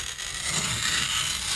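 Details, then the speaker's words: Manual tile cutter with the scoring wheel run lightly across the glaze without pressing hard. The short, even, high scratching hiss indicates it is scoring the surface properly. "c'est pas la peine d'appuyer fort il faut que ce bruit qu'on entend là c'est que ça r bien sur face"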